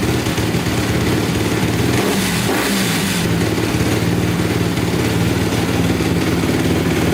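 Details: 2010 Honda CRF250R after valve shimming and hard-starting problem, started with primer kicks: single cylinder ticks over steadily with a brief throttle blip, no knocking or misfiring; normal idle, still somewhat hard to start.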